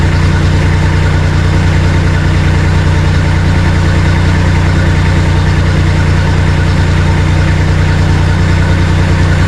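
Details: Bomag BMP 8500 compactor diesel after fuel filter change, bleeding fuel system, throttle and magneto fixes: steady even chug, low constant beat, no surging or dying; fuel starvation resolved, normal idle.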